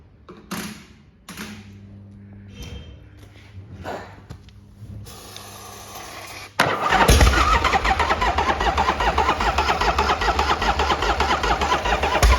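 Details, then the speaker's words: 1979 Harley-Davidson FXS Shovelhead 80ci, jump-started by bridging solenoid terminals, low on oil: starter grinds in slow bursts, then fires in rough uneven beats on starting fluid without settling; cranks and fires only on easy start. "Right. As you can hear, it's um starting to fire on the easy start, but we've not had it running."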